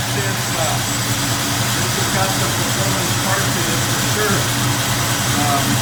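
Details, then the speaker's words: 1968 Ford Mustang Fastback V8 after no-start troubleshooting, first start: loud, lumpy steady idle with no knocks or misses, a touch fast; sounds good, idle and timing may need turning down slightly. "Uh Yeah, that sounds actually pretty good there. We might have to adjust the timing down just a little little bit."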